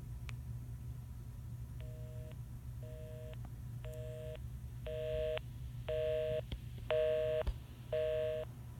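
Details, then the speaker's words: Stanford dorm room telephone calling its own 836-exchange number: clean two-note tone pulsing about once a second, half on half off; ordinary busy signal. "So there's a busy signal because I called myself."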